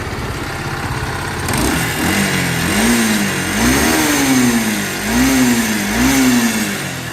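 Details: Bajaj Pulsar AS 150 motorcycle: revs up and down with rough gritty churning over exhaust note like a mixer machine; teardown finds jammed bearing, full clutch assembly to be replaced.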